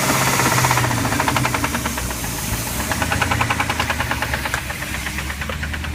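A heavy, hard knock at about three to four beats a second pounds through the rough big-block run, a classic rod knock.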